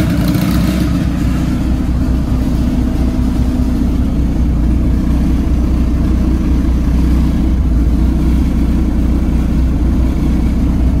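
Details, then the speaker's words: Dodge Caliber SRT4 just fitted with a Precision 6266 turbo, coated manifold and new gasket, idling to warm up after the oil prime: steady, even, smooth drone with no misses or exhaust leaks. Normal idle, but it still needs a new tune. "well guys i'm going to call that a success uh the car cranks runs fine idle's fine of course we have to do a a new tune for the turbo"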